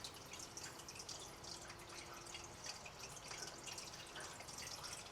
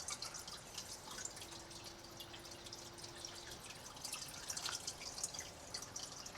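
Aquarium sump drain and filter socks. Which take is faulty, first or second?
first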